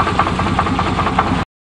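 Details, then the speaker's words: 1988 Chevrolet truck with a bad crank: steady idle with a dull, regular knock about five or six times a second riding on top, a bottom-end engine knock. "oh that sounds kind of sick oh well hard to believe the same company made that"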